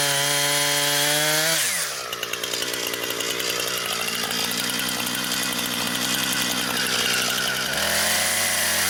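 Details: Brand-new Husqvarna 460 Rancher chainsaw, first run, cutting wood. High revving whine drops into a strong, steady buzz as it bites the wood, then climbs back when free. Healthy saw cutting normally.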